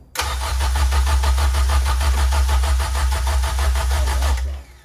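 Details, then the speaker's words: Honda K24 swapped into 1st-gen CRX/3rd-gen Civic, first start attempt with no IACV and possibly wrong harness: steady starter cranking about three beats a second for over four seconds with no firing; no spark, coil packs unplugged. "what sounds like it wants to I'll give it the ga"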